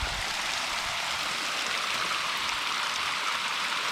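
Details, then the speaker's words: Micro hydro penstock under pressure test: steady loud hiss and rush of pouring water as a pipe coupling pops loose after the gauge jumped to at least 30. "that's crazy i saw it jump to at least 30 before it popped loose here"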